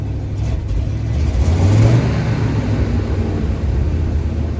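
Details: Freshly cleaned and rebuilt Edelbrock AVS2 carburetor: the engine picks up cleanly, swells in a smooth deep rev and settles back without stumbling or popping. It still needs adjustments, and the pedal is a little stickier.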